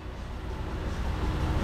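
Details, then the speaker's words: 2006 Toyota Yaris after a new alternator and new battery: smooth, steady idle with no alternator whine; charging now reads about 14.08 V. "i do not hear this new nader yelling at us this is good"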